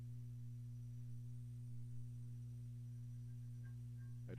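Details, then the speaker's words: Amplifier (titled f2b) on channel B with volume and tone controls down, no signal: a constant low mains hum with a buzzy edge. Owner suspects a power-supply capacitor, not confirmed. "use Channel B so it does the same thing though because you can hear the hum right now when the when the channel volume is down"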